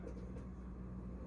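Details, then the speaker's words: Bosch Ascenta dishwasher that would not drain, with water puddled in the tub; after pressing start then holding reset 3 seconds, the drain pump runs with a steady, even low hum, no rattle or grinding: normal draining. "So I pressed start to start the dishwasher, and then I held down the reset button for 3 seconds. And it is draining right here."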